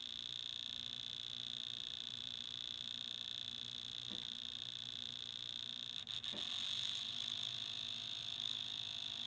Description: I have this clicking noise that has started in my Dual CS 5000 turntable.